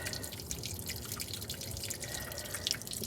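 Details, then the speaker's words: 1978 Ford Country Squire, 50-degree winter day, after overheating and topping up water, engine off: light irregular drips into a wet area, coolant leaking from the block; owner suspects a bad freeze plug. "Yeah. I think there's a bad freeze plug or something going on here on this block. Which explains why we had so much smoky, steamy fun."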